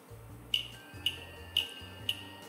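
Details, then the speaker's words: Tevo Flash 3D printer at power-on: four sharp, evenly spaced clicks about two per second. This is the BLTouch leveling probe's normal activation self-test. "that clicking you hear there is the be all touch that gets activated when the machine turns on"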